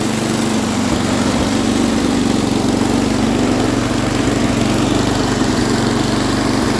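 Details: MTD Snowflite snowblower, small single-cylinder engine with a recently changed carburetor, after fixing a loose intake manifold that was sucking air and causing idle problems. It now idles steady and even with no hunting or surging.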